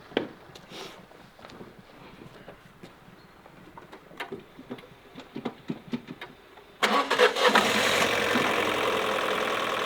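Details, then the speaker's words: High-mileage car (about 175,000 miles) with near-no compression at start: slow uneven cranking and weak irregular firing for seconds before catching to a rough idle; hard starting, cause unconfirmed, head gasket and timing tools came with it. "See, I started it earlier and there was like nearly like no compression and then eventually kicks in."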